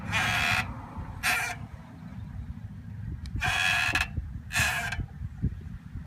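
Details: 2003 Volvo S40: four short, raspy squeals at a standstill from the rear brake. They occur when the pedal is pressed and when it is lifted off at a full stop, and the e-brake does the same. The rear caliper was seized and was replaced.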